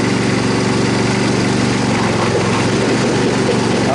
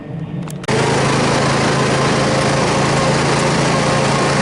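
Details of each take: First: Troy-Bilt Super Bronco mower, restored from pieces, single-cylinder engine running with an uneven banging knock about four a second over the idle, after the belt came off and was refitted; source not yet found. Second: Troy-Bilt Super Bronco riding mower, rebuilt from pieces, on its test cut after repair: steady, even engine drone with a constant hum under cutting load and no misses or knocks. The earlier pounding is gone and it cuts grass normally.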